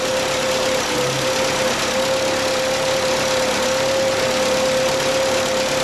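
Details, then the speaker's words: Bobcat 632 engine after the rebuild with a new piston and rings, valve cover, exhaust and spark plugs refitted: an even, steady idle with no puffing, ticking or missing, and nothing blowing by. Blow-by repair successful. "all right that sounds great nothing coming out of my cross animals"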